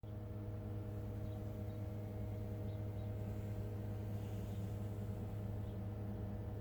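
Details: Brand-new 2021 Tesla Model 3, heat pump already replaced, 300 km on the odometer, -10°C outside, heard from inside the cabin. A loud, steady low droning hum with a few fixed tones; the owner asks whether this is normal, cause unidentified.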